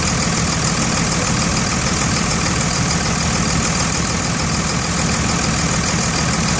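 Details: 2002 Cummins diesel idling with a loose, uneven knock about three beats a second through its clatter; heard best near the dipstick, cause unknown.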